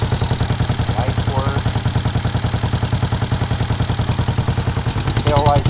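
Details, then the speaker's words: Twin-cylinder motorcycle idling before a test ride, with a steady loping pulse of about 3.5 beats a second that hunts slightly. The owner thinks it sounds a little lean, as if running out of fuel. Rough idle. "sounds like it's a little lean like it's running out of fuel but I think we're gonna try to ride it"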